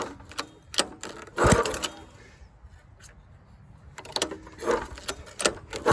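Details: Dumpster-found go-kart engine, partly disassembled, missing valve-cover parts, not connected to anything, refueled: sputtering start attempts with sharp pops between quiet gaps, won't catch, backfiring; owner suspects wrong timing.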